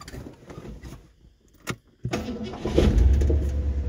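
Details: 1968 Ford Galaxie XL Convertible, 390 4V with C6, first start after getting it home: catches within a moment into a strong steady rumble; clean healthy start.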